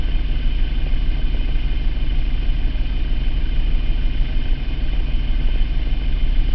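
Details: 2003 Mitsubishi Eclipse GT 3.0 V6, 92k miles, P0300 since 70k only at idle; plugs, wires, cap, rotor, air filter replaced, compression, injectors checked, no vacuum leak found: loping uneven idle with odd stumble, wandering speed; hunting idle with misfire.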